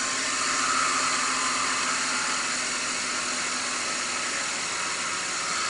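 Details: BMW E39 525i at idle: a constant airy whir with a faint steady whine and no change in rhythm, from a defective idler pulley (Umlenkrolle).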